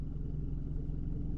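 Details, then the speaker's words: 2011 Renault Clio 1.2 L petrol with aftermarket LPG, 75 hp, after switching from petrol to LPG: low steady even idle hum, rpm unchanged, no stumbles or dropouts; normal idle on LPG, owner checking for misfires after bad LPG fill. "right now it's on LPG so you see nothing it's unmoved the the RPMs remained the the same and the car drives and feels perfectly okay"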